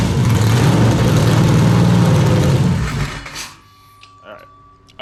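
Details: 427ci Dart LS Next 2 race truck V8 on engine run stand, open headers, first fire-up; heavy lumpy rumble for about three seconds then fades and dies; cause unknown, owner will check data log; oil pressure good; engine stalling.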